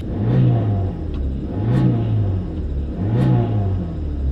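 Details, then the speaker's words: Chrysler PT Cruiser, 118,000 miles, on its last legs, at idle: low droning rumble swelling about every second and a half; muffler vibrating from poor cheap build quality, exhaust drone/vibration suspected. "muffler vibrating they just had poor cheap build quality"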